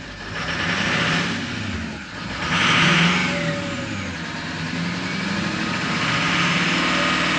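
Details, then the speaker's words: 2006 Ford F-550 6.0L Power Stroke diesel after a blue spring kit install fixed a damaged fuel pressure regulator O-ring, raising fuel pressure from 45 to 65 psi. Revved, a rising turbo whistle rides over the diesel clatter, so the turbo spools normally. "Yeah, you can really hear that turbocharger."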